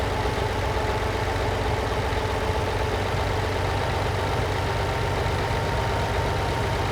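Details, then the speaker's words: Lamborghini 350 GT V12 (chassis 109, sixth production Lamborghini) after restoration, idle mixture screws being adjusted cylinder by cylinder: steady, even idle getting smoother, with a slight rev drop as a cylinder's mixture is weakened; smooth idle. "lovely getting smoother by the second again a slight slight slight drop in revs there it is"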